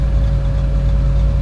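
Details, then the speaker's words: 1976 Chevy El Camino, 350 small-block V8, AC on with the idle-up solenoid plunger extended: deep, even rumble holding steady just under 1,000 rpm, same as AC off; normal idle. "And now it holds at the desired RPM, which should be about the same as it is with the AC off."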